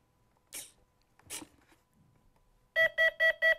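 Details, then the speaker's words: FMS 1400 mm P-51 Mustang ESC on battery plug-in: a few handling noises, then fast repeating beeps about five per second; ESC warning that the throttle stick is not at its lowest position, cleared by lowering the stick. "you're gonna hear a really rapid tone this tells me that will tell me that the throttle stick is in the wrong position"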